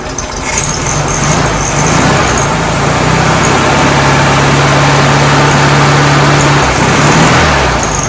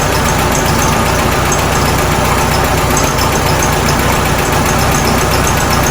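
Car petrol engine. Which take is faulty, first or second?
second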